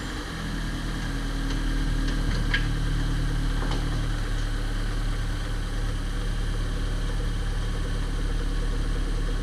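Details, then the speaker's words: Corsa idling after the dented steel skid plate touching the engine was removed and the loose bumper checked: steady, even, smooth idle with no buzzing or rattling underneath; vibration gone. "graças a Deus não está mais vibrando coisa boa hein"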